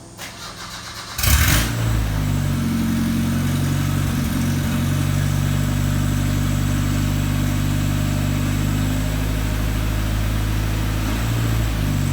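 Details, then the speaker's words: Isuzu Rodeo 4ZE1 after a top-end rebuild, engine fully reassembled after the crank pulley bolt thread was tapped: cranks, catches within a second and settles into a steady, even idle on all four cylinders. Compression still to be checked; a little backfire owner blames on timing. Normal running. "she is running on all four cylinders and we have to check the compression but my god does it sound good"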